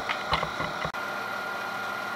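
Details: Rebuilt Denso alternator (Jeep Cherokee XJ/ZJ) on a mill-driven bench test after skimmed slip rings and new brushes, charging a battery at 14.5 V drawing about 10 A: a few clicks, then a steady, even whine with no grinding; normal operation.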